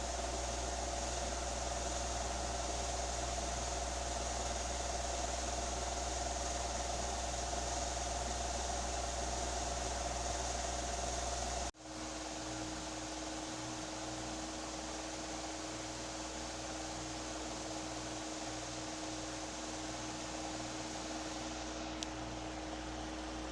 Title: Bushing To Bearing Conversion Update (Little Bit Noisy After 3 Months) #shorts